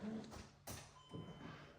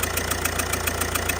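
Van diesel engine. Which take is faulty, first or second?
second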